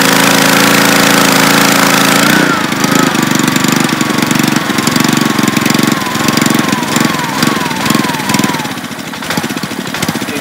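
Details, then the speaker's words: Honda-powered Ryobi 3100 PSI 2.5 GPM pressure washer: the single-cylinder engine drops from full speed to a steady low putter of about four beats a second; the low-idle feature engages once the engine is warm, and it keeps running. "and i guess there's like a thermos sensor somewhere and it triggers the loyal kick down once the engine feels it's warm enough to hold a little idle it'll it'll come back in too you know"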